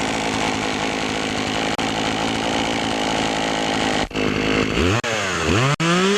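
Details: Poulan Pro chainsaw after fixing a clogged air filter and sharpening the chain: strong even high-rev buzz, then revving up and down cleanly; normal running.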